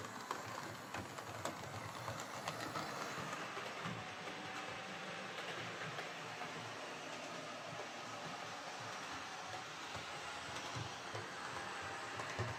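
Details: Hornby R2329M Britannia Class "Dornoch Firth" OO model loco on layout, with a loose rod: steady rattly clatter over rail joints and constant whirring motor whine; noisy motor, owner thinks it may ease with running, will re-inspect.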